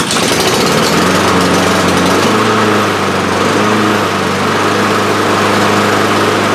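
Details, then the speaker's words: Honda HRR2156 push mower after fixing a previous botched repair and the choke, started with the throttle in the choke position: catches right away and settles to a steady, even drone without surging; normal start and run. "Awesome. Everything works as it should."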